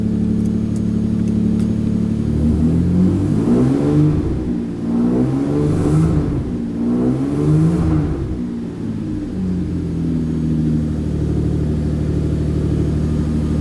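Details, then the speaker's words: Very cold engine, fuel pump just swapped, no coolant, untuned before dyno: revs unevenly, note sagging and stumbling on throttle blips then settling to rough idle; running very rich and hesitating. "So, well, she's not liking revving because she's very, very, very cold."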